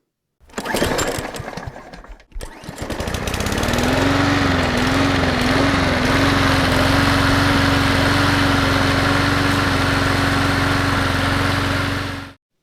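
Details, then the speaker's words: Briggs & Stratton Intek V-twin on an Exmark Quest zero-turn mower, running on a jump pack with a dead battery: labored, lumpy thumping, running on one cylinder with very low power and sluggishness; a loose valve guide is the cause. "Barely. For a trained ear, it's very easy to tell this is running on one cylinder. Uh, very low power, very sluggish."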